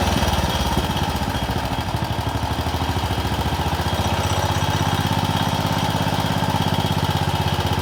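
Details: Wheel Horse RS-83 Ride Away Senior single-cylinder after fitting rebuilt Wico HX magneto with new coil, points and condenser: steady even low thump at a fast regular firing rate, no misses or knocks; running cleanly.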